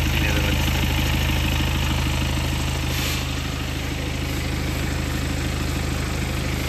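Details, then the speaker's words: BMW diesel at idle, sound boosted 10 dB: fast, even light ticking about four a second over the low clatter. Timing chain rattle. "Hai că dau un plus 10 decibeli, imediat auzim. Se aude tic-tic."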